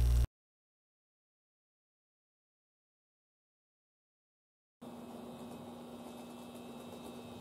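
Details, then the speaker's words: N-gauge model train power car after replacing the motor, cleaning the worm gear, then replacing all geared bogie parts: soft steady motor hum with no knocking; the popping noise is gone, so the bogie was the fix. "えいい感じですね全然異音がなくなりましたということでですねえポコポコがしたら代償を変れば良いみたいですそれではご視聴ありがとうございました"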